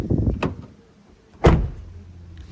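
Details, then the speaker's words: 2020 Toyota Tacoma door being shut: a heavy thump followed by a faint loose rattle inside the panel. The window track or something inside the door is suspected loose, unconfirmed. "you hear something kind of rattle around right like maybe the track for the window or something in there is loose and it just rattles around"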